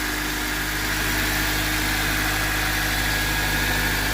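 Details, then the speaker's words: 2004 Honda Civic Dimension 2.0, K20A engine, about 243,000 km, nearly 19 years old: smooth, even idle at about 1,000 rpm during warm-up, steady low hum, no knocks, ticks or misses. Normal idle. "รอบเดินเบาก็ยังสูงอยู่นะครับประมาณ1,000รอบนะ"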